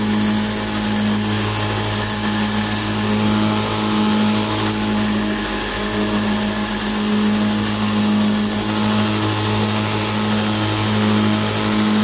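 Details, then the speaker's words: DIY 2x72" belt grinder, 2 HP motor with VFD, 4080 aluminum profile frame, no platen: steady motor hum with a faint repeating tick about once a second from a badly glued, overlapping Chinese sanding belt joint; other belts don't tick, and sanding is barely affected. "it makes this St t t t noise that's actually from the Chinese belt because these are glued together very very badly they're overlapping and you can hear it it makes that noise"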